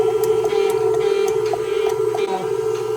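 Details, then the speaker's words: KitchenAid Artisan stand mixer that hums but doesn't spin; steady motor hum with faint irregular ticking and no load change as the motor spins freely, owner suspects a stripped plastic worm gear; stripped worm gear. "But the only thing is I turn it on and you can hear the motor going, but it seems to be that that the here is like"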